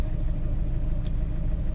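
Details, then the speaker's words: 2007 Ford Fiesta 1.4 TDCi diesel started on a jump pack with the number two injector unplugged. Still a lumpy, vibrating idle with an irregular shake, same as before, so injector two is dead; owner suspects the injector over wiring or ECU. "yeah the car's vibrating still sounds pretty much the same as it was before so I think that number two injector is not it's either bad injector or the wiring to it is bad"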